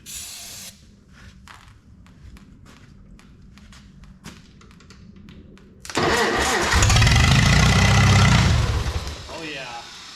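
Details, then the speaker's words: Farmall 300 tractor, start after the engine rebuild, on a little starting fluid with no gas hooked up, about half throttle, out of gear, starter jumped: quiet ticking, then a loud, deep, steady roar for about three seconds before it dies. "so we're going to go ahead and give it a little tiny bit of uh starting fluid because we don't have any gas hooked up to it right now"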